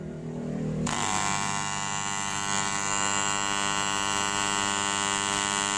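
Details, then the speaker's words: Rewound 5A double-CT 940 W box transformer, primary winding tested at 220 V with I-core laminations left loose: steady loud buzzing hum from power-on at even pitch; normal vibration. "Trafo ini bergetar. Biarkan hidup dengan beberapa menit. Tidak perlu takut, tidak perlu khawatir. Ini bersuara dengan keras."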